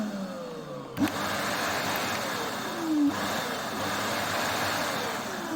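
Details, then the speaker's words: Arnika vacuum cleaner, about 3-4 years old, after replacing failed motor bearing that caused crackling noise and burning smell; motor now spins up with clean steady whir, no grinding, repaired. "Evet arkadaşlar süpürgem düzeldi süpürgem eki Bily arızasını bu şekilde gidermiş oluyoruz arkadaşlar"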